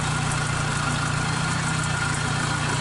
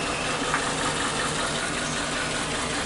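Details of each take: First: Suzuki Katana carbureted engine that shook hard from one dead, black-fouled spark plug, after the plug was replaced and the carburetor and ignition timing were set. A cylinder-by-cylinder check shows all normal; steady, even idle with no misfire. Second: Suzuki Katana carburetted engine idling at low rpm with strong cabin vibration and weak acceleration; uneven, lumpy, stumbling idle, still present when hot, from one dead spark plug (third cylinder, black and carbon-fouled) causing a misfire.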